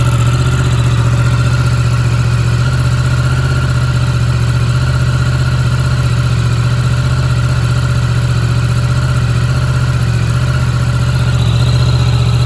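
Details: Yamaha MT-10 inline-four, stone-cold start after sitting three weeks on a trickle charger, with condensation from the downpipe: a steady, even low rumble at idle with no knocks or rattles. Normal cold idle.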